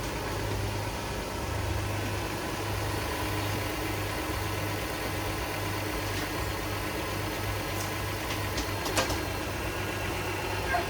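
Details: 2010 Dodge Journey SXT V6 after alternator replacement (old one whined and stopped charging, battery light on), now charging about 14 volts: low, steady idle hum, even beat, no ticks or knocks; engine running smoothly.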